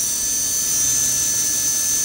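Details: Blackout Mini H quadcopter, fourth brushless motor during OpenPilot controller calibration after the slider is moved one step over: clean high whine holding one steady note with no wobble; motor now stable.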